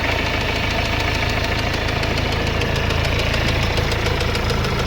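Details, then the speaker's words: Mercedes-Benz CLS W218 engine: loud, steady metallic knocking that rises with revs, though the engine oil looks almost new; a rod bearing knock, suspected major engine work. "น้ำมันเครื่องมีอยู่นะน้ำมันเครื่องเหมือนใหม่ๆอยู่เลยวะน้ำมันเครื่องแต่เครื่องเขกมากๆนะสงสัยจะเป็นงานใหญ่นะนี่"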